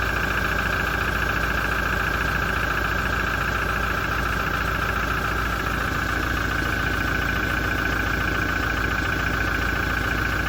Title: 2017 Toyota Diesel engine noise issue after major service - engine knocking and rattling